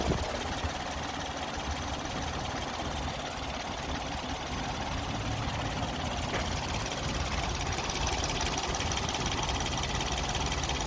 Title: Rough idle of a Nissan pixo #nissanpixo #roughidle